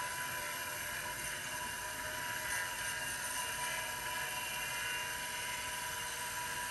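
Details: IBM XT 5160 10MB hard drive on a 12 V bench supply, drawing about 2.5 amps: steady high whir with several sustained tones, no ticking or grinding; unusually loud, bearings sound unhappy.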